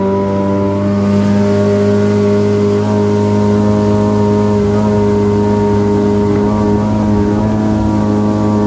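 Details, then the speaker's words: Yamaha WaveRunner two-stroke, a little cold on first startup: steady crisp buzz with even pitch, no surging; earlier surging was traced to a faulty fuel cap, running normally. "wow she ain't as fast as an 1100 but this baby's running good like every two strokes a little cold on the first startup"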